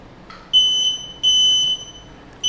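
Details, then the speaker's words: Journey Air folding power wheelchair just powered on: shrill half-second beeps repeating steadily, meaning it's in neutral/freewheel; rear brake levers must be set to drive position. "So I have power, but if you hear it beeping like this, that means we're in neutral."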